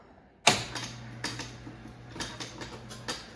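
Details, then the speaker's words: 1978 Bally Miss America Deluxe bingo pinball, control unit reassembled and switch stacks cleaned, drag arms tested at power-on: crisp evenly spaced clicks over faint motor hum, sound pretty good; motor bouncing, nut needs tightening; normal drag arm operation. "Okay. Looks like they sound pretty good."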